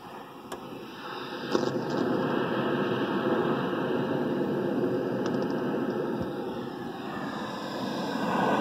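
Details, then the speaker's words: Accutrak ultrasonic detector held at a cracked refrigerant cylinder gives a steady hiss that swells when switched on, though the leak is inaudible to the ear. Refrigerant escaping at the crack. "turn off the detector there and I can't hear that with my ears at all I don't know if the phone is maybe picking it up"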